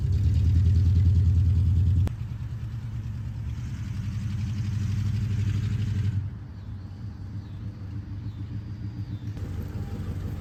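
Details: 1973 Ford F100 V8 at idle after new spark plugs and a timing adjustment, only half running; owner believes it needs plug wires. Deep, lumpy, loping idle under a steady rumble; missing, cause not confirmed.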